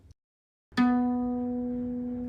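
A single plucked harp string rings clear and steady, fading slowly with no buzz or rattle.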